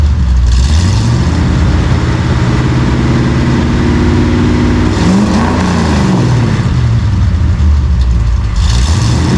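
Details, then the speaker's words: 1955 Chevy V8 with newly installed home-built dual exhaust gives a deep, even rumble swelling through a rev and settling back with no ticks or rattles. It is healthy, though maybe a little quieter than hoped. "all right well I guess uh that's what she sounds like maybe a little quieter than I would hoped but we'll have to wait till we're driving it and uh see how it sounds out on the open road"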